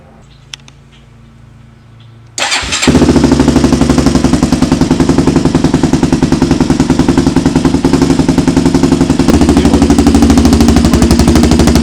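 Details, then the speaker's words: Rebuilt 400EX single-cylinder quad on its first heat cycle, after the plug and solenoid were blamed for the starting trouble. It catches and settles into a loud, fast, slightly uneven burble with black smoke; running rich, or debris or a baffle may be in the exhaust. "Ooh. She's all sorts of rich. Black smoke coming out."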